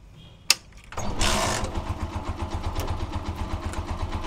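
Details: Honda TMX 125 Alpha single, hard to start on push start but fine on kick: click, one kick, fires straight into quick even putt-putt idle; battery read 11 V, not charging, charging system suspected.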